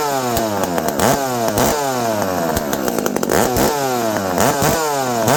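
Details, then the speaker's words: Dolmar 7300 chainsaw with the stock muffler replaced by a Husqvarna 266 pipe (Bearclaw); a crisp two-stroke howl climbs and drops cleanly on throttle blips with no bogging or misfire, so the saw runs well. "Yeah, friends, this is a good running saw."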